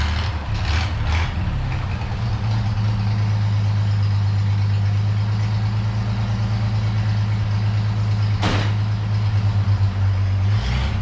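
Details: 1932 Chevy truck "Rockabilly Rat", old six after a tune-up: steady, even low idle with a smooth regular beat and no misses or knocks; normal idle.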